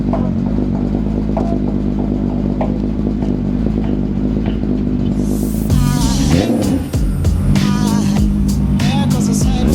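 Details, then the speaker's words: VW Mk3 on a cold rainy day: settles into a steady, slightly lumpy idle after starting, no knocks or ticks beneath it; sounds healthy. "She's running good."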